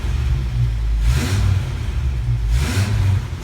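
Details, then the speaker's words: 1987 Toyota 4x4 22RE with an Engnbldr Street RV head (larger valves), a header and the cat still fitted, first start after reassembly: a deep, smooth note rising and falling with throttle blips, even firing; healthy, with typical valve noise. "This thing sounds amazing! Maybe the header helps."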